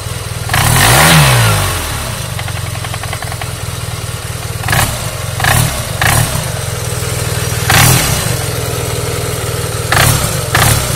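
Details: Yamaha TMAX scooter engine idling and blipping: a light tapping about four times a second, louder on revs. Knock in the engine, origin unknown.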